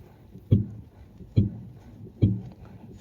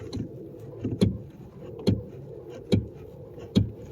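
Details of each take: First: Mercedes S600 coupe rear strut upper mount, body rocked by hand with suspension pressure at zero: only soft, dull thumps about once a second, no sharp knock or banging; rear strut mounts are sound. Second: Mercedes S600 coupe, car rocked with the suspension system at zero pressure: sharp hollow knocks about once a second as the strut hits the body, from a worn rear strut upper mount.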